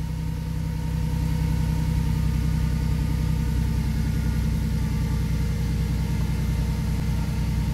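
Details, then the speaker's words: 1997 Ford Mustang right after replacing starter for intermittent starting: steady low idle rumble with a faint thin squeal riding over it, constant at idle; source unclear, owner unsure if it's normal. "that's a weird noise isn't it I don't know if it's just way that out just the way it is or not"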